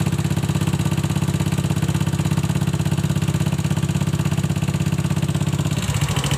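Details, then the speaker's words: Honda Scoopy FI scooter idling with a noise complaint of several days: a fast, fairly regular tapping of about three per second over the engine note. Engine or CVT is still unknown at this point; rough engine noise at idle. "Pagi hari ini saya kedatangan Honda Scoopy dengan membawa keluhan, yaitu ada bunyi berisik, entah itu di bagian mesinnya atau bagian spitinya."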